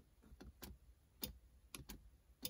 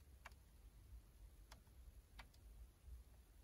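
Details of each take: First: Honda Civic EK4 during a USDM 2DIN console wiring install: with ignition on, pressing the rear defroster button gives sharp relay clicks at uneven intervals, about six in three seconds. The defroster relay is switching normally. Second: Honda Civic EK4 during US 2DIN console and harness rewiring, blue wire jumped directly: faint sharp single relay clicks about once a second over quiet cabin hiss; rear defrost still not working, cause unknown.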